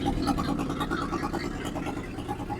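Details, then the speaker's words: 1963 Ford F100 unibody pickup that hasn't run in over 20 years, first start with gas poured down the vent tubes: a quiet, steady, even idle with no top-end ticking. It has oil pressure and no valvetrain noise, though the cut-off passenger-side exhaust taps the crossmember. Normal idle. "it's obviously has oil pressure cu there's no valve train noise at all that pumpkin is right"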